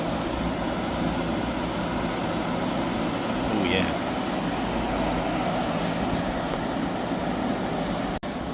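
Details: Hyundai portable AC after leak repair and recharge (it had gone warm after two weeks): loud but steady airy rush from fan and compressor, no rattles, squeals or cycling, cooling normally; the job is judged well done.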